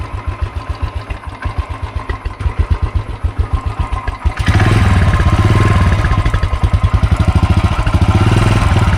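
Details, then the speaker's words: Royal Enfield Continental GT 535 after a major service and oil change, unused for almost a year: an even single-cylinder thump that fires up louder and settles smooth. The earlier engine clattering is reduced, and it sounds healthy. "Plus oil change ಮಾಡಿ engine noise ಸ್ವಲ್ಪ ಕಮ್ಮಿ ಆಗಿದೆ. ಮೊದಲು ಅದು ಕ್ಲಟರಿಂಗ್ ಎಲ್ಲ ಬರುತ್ತಲ್ಲ, engine ಕ್ಲಟರಿಂಗ್ ಅದು ಕಮ್ಮಿ ಆಗಿದೆ ಈಗ."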